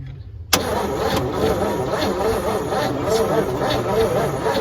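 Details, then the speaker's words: 1963 one-ton truck that sat a long time: steady starter churn with even compression pulses about two per second, never firing; no spark found, coil suspected. "Usually get that from cranking. Not even getting a spark."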